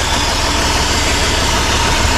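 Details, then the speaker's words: Rough-running car with spark confirmed good on checked cylinders: uneven, lumpy idle with a shaky low rumble and hiss, motor visibly shaking; suspected rough idle from a blocked, cracked air intake. "but you can see how bad the motor shaking and how rough it sounds"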